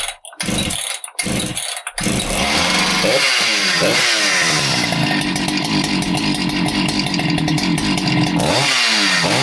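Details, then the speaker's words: Husqvarna 395XP chainsaw that started then died, after fixing an air leak between carburetor and intake boot that caused lean running: fires after a few pulls, idles steadily and revs up cleanly. "So, there you go. it runs pretty good."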